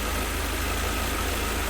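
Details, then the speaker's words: 1988 Mercedes 190E W201, first run after valve stem seal replacement fixed no-start and misfire, cold engine: smooth even idle around 800–900 rpm, slightly lumpy, no knocks or hunting; needs idle adjustment. "So it's running quite nicely. A little bit lumpy there, but I may need to run some adjustments considering all of this doesn't belong to the car."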